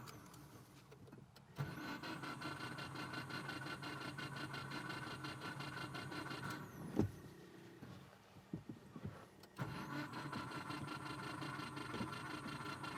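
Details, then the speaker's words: Subaru Forester with a broken timing belt, lower idler bolt rigged just to test: starter spins the engine quickly and evenly in two long bursts with no resistance, no compression pulses and no firing; all valves bent, heads needed. "and there you have it the sound of no compression the sound of bent valves so our Friday the 13th is complete with not getting lucky on this engine and having all bent valves"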